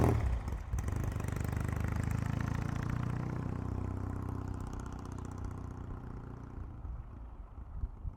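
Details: 1975 Norton vintage twin, starting off on a neighborhood test ride after a failed ride the day before: fires up, holds a low, loping beat, then fades off into the distance; no obvious clatter, running healthy.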